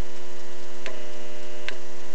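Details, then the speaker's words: Ferroresonant potential regulator transformer powering an incandescent (GLS) lamp: steady low mains hum with faint irregular ticking from the lamp's turn-on surge current and no harsh buzzing. A CFL load causes loud buzzing instead. "ot be able to hear it but there is kind of a little ticking noise from The Surge current of the lamp being turned on"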